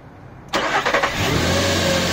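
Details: Nissan Pathfinder cranked on only a Maxwell 16V 500F aluminium-cased supercapacitor, battery disconnected, via alligator clips; brief brisk cranking, then fires cleanly and settles to a steady idle, alternator holding ~14.3V; normal cranking and start.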